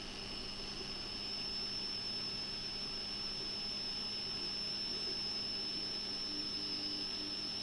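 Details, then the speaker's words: Atari XC12 tape drive on Atari 65XE, after repair, loading a saved program: steady, unbroken high-pitched data tone over faint motor hum; clean, normal load, less noise than before. "if we do a/c load and get the beep but then we get the noise actually sounds better now it's not making this much noise when I"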